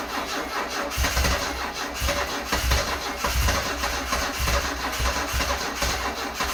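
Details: Stored-30-years, 10K-original 1974 Alfa Romeo Spider Veloce on about its 5th–6th start attempt, after fuses and the battery were refitted and fuel pressure was built: the starter cranks steadily at about two compressions a second but never catches.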